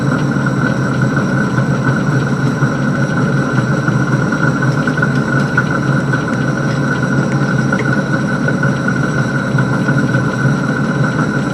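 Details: Van Wert coal stoker under a Gentleman Janitor JG5 boiler after six days burning pea anthracite: steady drone under a rough mid-pitched whine with uneven churning beat; stoker gearbox noisy from excessive end play in the input shaft.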